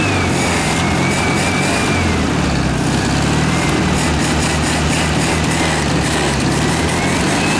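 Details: 1967 VW air-cooled flat-four (ragtop), long-stored, on old stale fuel; steady even running with a clean unbroken note. Healthy engine.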